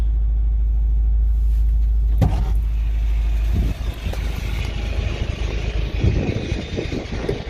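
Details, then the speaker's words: Honda Prelude with misfire, after replacing spark plugs with new NGK Iridium 9, engine just warming up: low rumble with idle wandering up and down, unstable idle; owner suspects a plug wire, still misfiring. "the idol is pretty off and on right now it warmed up like it just started warming up but the idle is hot going higher"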